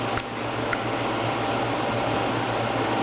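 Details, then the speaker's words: 1995 Fedders window air conditioner, fan only on low speed: soft steady whoosh of air with faint low hum, no rattles or scraping; normal quiet fan operation. "go outside and you how the sound now we're outside I don't know if you can hear but she is running it's just the fan only the fan yeah and again the fan only pretty quiet"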